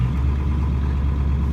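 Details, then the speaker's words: 1994–1997 Ford F250 OBS diesel, after a no-start and fuel bowl service, new fuel lines, HPOP o-rings and intake boots: smooth, steady idle rumble with even pulses and no stumbling or knock; running fine. "CB right fine yeah she's running all right"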